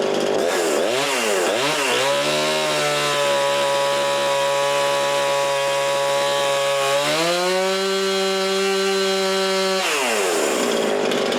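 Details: Husqvarna 350 18" chainsaw after rebuild with new cylinder, piston, ring and gaskets, muffler gasket left off (possible exhaust leak), compression about 75: fires, blips, then holds a clean steady high rev with crisp throttle response; normal running.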